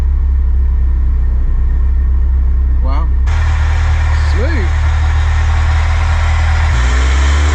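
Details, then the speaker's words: Ferrari 308 project driven after repair at a Ferrari specialist, previously running awfully: steady even low drone, no knocks, misses or stumbles; engine pulls cleanly and smoothly, though rubbers still need replacing. "smooth wow well compared to how that was compared to how it was"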